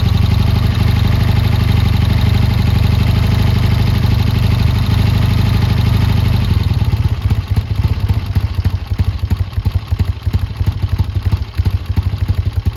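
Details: Triumph T140 twin after new carbs fitted and an intake air leak sealed with extra clamps: steady, even idle with a firm regular exhaust beat and no misses or stumbles. Normal, healthy idle.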